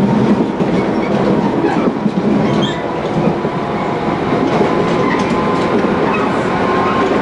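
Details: Tobu 20000 series MoHa 24803 with AFE chopper control, Kasukabe to Kita-Kasukabe, on a canted curve where the left-right load shift changes the flat noise. A heavy rolling rumble and rail clatter at speed carry a repeating thump. Wheel flat.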